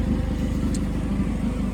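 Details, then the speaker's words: Steady four-cylinder idle with a sharp, regular puffing tick on each firing pulse, louder along the side of the vehicle; exhaust leak chuffing. "Um, going down the side here, you can hear that exhaust leak just getting louder."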